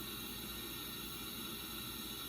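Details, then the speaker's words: 2006 LTZ400 leak-down test, engine off: steady hiss with 100% leakage, air escaping through the carburetor, indicating intake valves open or poorly seated; radiator cap not yet removed; serious valve problems. "I need to take the radiator cap off, but I've got it coming through the carburetor, which indicates the intake valves are open or at least not seated very well."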